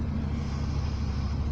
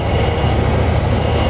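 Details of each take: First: Power steering with engine running while the wheel turns: low steady droning hum; caused by seized kingpins and ball joints, not the steering box or pump, cured by penetrating oil, greasing and working them free plus bleeding the system. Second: Car power steering after freeing seized kingpins (penetrant, grease, worked by hand) and bleeding air from the system, wheels turned: steady low engine drone, wheels turn easily without jerks, no pump whine; normal power steering operation.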